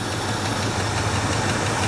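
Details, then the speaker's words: 1977 Ford F150 4x4 V8 (one owner) revived after about 20 years in a barn: fast idle cam off, even, steady low idle with no misses or hunting; coolant low; normal idle. "oh not too shabby is it we got a a rocker arm or something making a little noise see if I get the fast knle off oh yeah good as new look how smooth that thing"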